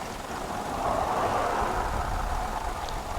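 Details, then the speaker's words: Big 3-liter engine with a new battery idling low at about 550 rpm: slow idle with a slightly uneven beat, slight shaking but steady and smooth, no knocks or ticks; normal idle. "I don't know what the lavalier mic picks up, but it runs like a sewing machine."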